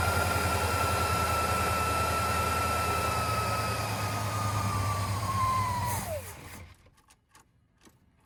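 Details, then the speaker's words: 1958 Studebaker Golden Hawk, fuel pump running without changing tone: engine holds steady high idle about six seconds, then whine sags and it dies as carburetor bowl fails to prime; stuck needle and seat, float clip missing; fuel starvation stall. "I hear the fuel pump. I hear it, but it's not changing tone. It's not changing tone, you know?"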